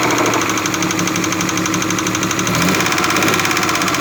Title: SUZUKI F5A DEFECTED CAM SHAFT KNOCKING SOUNDS